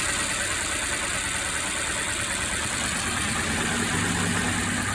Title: Mercedes engine misfiring